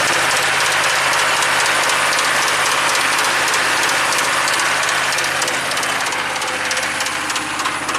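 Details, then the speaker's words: Chevy 6.5 turbo diesel truck, original PCM back in after a replacement PCM showed the same runaway rpm: harsh diesel clatter with a fast irregular knock about three per second; owner hears weird sounds under the hood. "I'm noticing some weird sounds under the hood"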